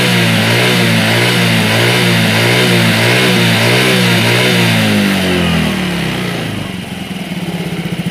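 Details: Yamaha Mio J fuel-injected scooter after the injector fix, engine at 84–85 °C with good O2 sensor data: a clean, even buzz held high, then dropping smoothly back to a steady idle; normal revving.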